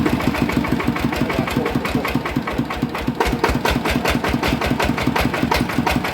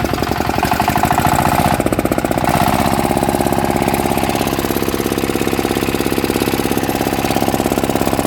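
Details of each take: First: Yanmar 160 diesel engine at idle: hard, even metallic knock on every stroke over the chug; worn crankshaft bearing found dead and spinning loose in its housing, needing housing build-up or new bearing. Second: Yanmar 160 single-cylinder diesel after rebuild with new bearings: it starts easily and gives a steady, tight, regular thump with no knocking or rattle. Bearings quiet; the engine runs healthy.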